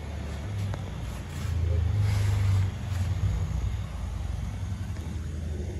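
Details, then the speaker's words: Yamaha Vixion motorcycle after valve clearance adjustment (re-set over six times), radiator fan wired always on: low, even idle rumble with steady beat and the earlier valve ticking gone; runs smoothly. "bunyinya sekarang seperti ini Alhamdulillah terus seperti ini bunyinya udah ada bunyi keriting lagi"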